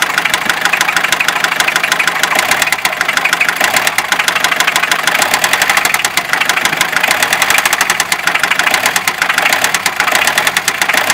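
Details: Fiat Ducato 2.5 TDI diesel at idle: steady, rapid, sharp and evenly spaced knocking ticks over the clatter, a clear knock from inside the engine.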